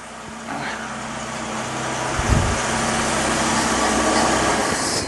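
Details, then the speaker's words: Whitby Morrison ice cream van, new engine after change, first start warming up: even settled idle with smooth steady hum, no ticking or knocking; runs sweetly, normal idle. "Oh, that's lovely. Isn't that lovely? That's lovely. Sounds like a modern engine."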